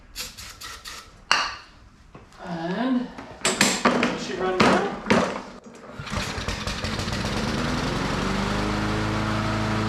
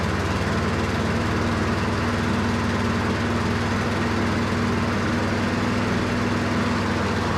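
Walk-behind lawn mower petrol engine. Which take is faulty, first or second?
second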